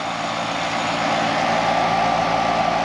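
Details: Outdoor AC condenser with very dirty coils, started after technician work: steady fan rush with even compressor hum, no clicking, buzzing or labouring; normal running.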